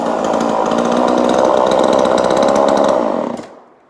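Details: 2002 Husqvarna 136 chainsaw, 20 years old, after new carburetor fitted and tuned, muffler extra vents cut: crisp, steady high buzz holding even speed, no stumbling or surging, cuts cleanly at kill switch; running healthy.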